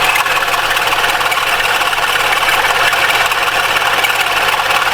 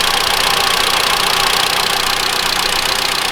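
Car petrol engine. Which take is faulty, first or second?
first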